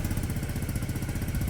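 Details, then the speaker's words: Peugeot Satelis scooter, barn find revived after immobiliser/ECU wiring work, warming up; quick, even putter at steady idle with no misses or stumbles, running smoothly and starting straight away; normal idle. "it sounds great now back up work and the lights on can hear it y it's ni fine it start straight away that it doesn't matter"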